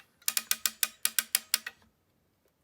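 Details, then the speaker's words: Jeep XJ hood light cord reel after fixing tangled spring line: crisp even ratchet clicks as the cord pays out, then quiet; normal operation. "you can hear that's clicking that's what it should do as it unwinds and then it should retract it back"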